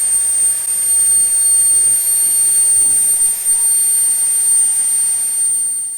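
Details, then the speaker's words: SWIWIN SW220B micro jet turbine on test stand; piercing whistle climbs to steady full-power scream, then fades smoothly; idle to full throttle in 3.7 seconds, full throttle 115,000 rpm; normal acceleration. "you'll see 3.7 seconds is our acceleration check from complete idle to full throttle this of course being adjustable and full throttle being 115 000 rpm"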